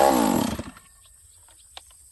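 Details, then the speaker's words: Stihl 038 chainsaw, first start of the day, cold: fires on a single pull with a crisp, sharp buzz rising and falling quickly; high compression, crisp ignition timing. Normal cold start. "it's it started there one pole isn't that funny okay now it's considered warm"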